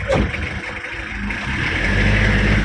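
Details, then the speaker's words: Mitsubishi L300 pickup diesel with hydraulic clutch pulling away after clutch set work: steady take-up, clutch soft and smooth, previous judder on clutch release completely gone. "weh mantap ini koplingnya Empuk banget weh halus mantap Nah ini getar-getarnya langsung hilang udah gak ada lagi"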